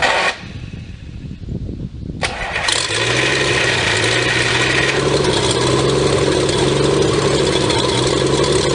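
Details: 1954 Pontiac 239 straight six revived after sitting for years, after a failed first try: brief cranking, then it catches and settles into a steady, even idle with a smooth regular beat; sounds healthy.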